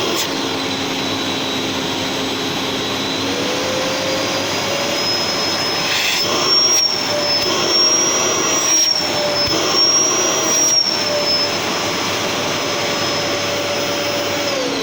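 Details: Gerer8 Power MAX 2000W vacuum cleaner, an old machine, running on high power: steady, loud high-pitched motor whine with rushing air that climbs when switched up and holds evenly, with very forceful suction; healthy motor.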